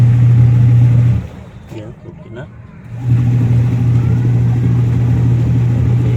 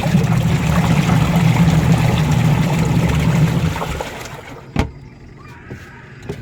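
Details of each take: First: Washing machine with replaced 150W motor and 10uF capacitor: loud steady low hum, briefly dropping away then returning; motor is too noisy. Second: Newly installed replacement 150 W washing machine wash motor with 10 µF capacitor, after the old motor was noisy and humming: smooth, even low hum for about four seconds, then quiet wind-down; the new motor runs healthy.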